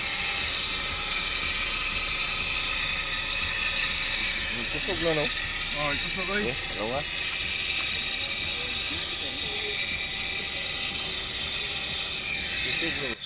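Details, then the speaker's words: Suzuki DE64 minivan with K6A turbo engine, idling, before disassembly: a loud, steady high-pitched whirring hiss over the engine that does not change. The alternator or tensioner bearing is suspected. "So nadungog na to mga sir ang iyang tingog no. So kuha sa ning tanggalon para makita na to karon kung asa dapit ang pisa nga nagtingog ani. Kay suspect na ko ani alternator o kaya tensioner bearing."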